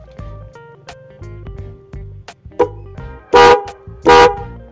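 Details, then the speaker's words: Denso Power Tune Hi-Lo 110 dB horns wired through an MX relay with a 20 A fuse; two loud, steady honks with a clear, strong tone over background music, horn sounds full and healthy. "Untuk suaranya nyaring kenceng parah banget guys, kencengnya guys ya."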